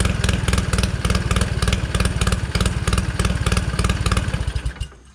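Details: 1969 Polaris Colt 303 Wankel rotary snowmobile, restarted after years sitting: quick even popping exhaust beat, about four pulses a second, then cuts off; normal running.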